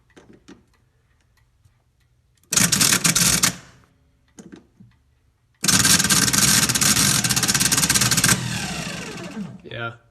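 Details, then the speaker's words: 1984 GMC Jimmy 350, old starter bench-tested: two bursts of high whirring with uneven rattling chatter, then spin-down, as the drive gear bounces around. Starter judged worn out; loose terminal possibly contributing. "I think a lot of it it's real chattery but trying to energize but it shouldn't sound like that and I bet a lot of it is because this terminal this gym that isn't locked down all the way"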